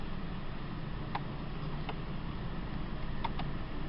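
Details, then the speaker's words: 2003 Mercury Mountaineer, cold start after sitting overnight, temperature gauge at zero. Owner says an intermittent cylinder head temp sensor (P1285/P1299) sends it into fail-safe. Steady low, even idle with faint clicks; normal cold idle. "it's running fine, and you can see the temperature."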